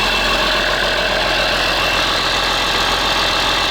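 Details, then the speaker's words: CASE 6TA-830 diesel, first start after priming oil: steady, even, quiet idle with a smooth hiss, no knocking, misfire or smoke. Normal diesel idle. "Шепчет, блин, шепчет. Дыма нет вообще."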